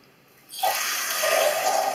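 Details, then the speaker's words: Toilet cistern with leaking flush valve seal (joint de chasse d'eau): silence, then the fill valve suddenly hisses and refills on its own, intermittently, about every 20–30 seconds; a continuous refill would instead indicate the fill valve diaphragm seal. "Alors très simple, hein. Quand c'est la chasse d'eau, c'est intermittence. En intermittence. Hein, ça fait comme ça."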